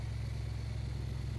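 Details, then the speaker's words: Abandoned 1978 Camaro V8 (305) just started after fuel priming, running on slightly dirty fuel through a filter: short burst of a steady, deep idle with an even low rumble and no knocks or misses; engine sounds healthy. "Now she sounds like a car. That thing's running really good. Now she sounds like a car."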